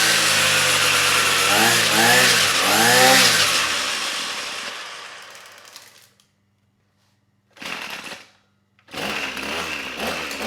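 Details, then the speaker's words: Trash-picked Ryobi string trimmer two-stroke, air box broken, no choke: screams at full throttle, dies to silence when released, restarts briefly then stalls again; stalls off throttle, carburetor idle set screw found broken off. "all right nice i think the engine's running well it's still stalling when i let off the throttle so let me see if i can adjust that idle set"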